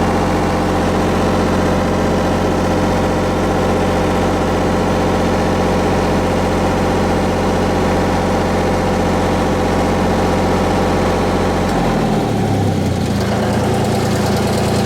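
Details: Miller 400D engine-driven welder, running (about 32 V at idle, 92 V on leads): steady, even drone that settles to a lower speed near the end, no knocks or misses; healthy.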